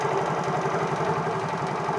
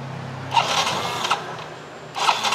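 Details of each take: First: Motorcycle after its faulty IC was replaced, started repeatedly and running immediately on the key: small engine idles evenly with a steady patter, holding speed with no dips or stumbles. Normal idle. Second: Motorcycle fitted with an imitation (fake) IC part: catches with a couple of sharp bursts, then stumbles with slow uneven low pulses. Rough running from fuel starvation.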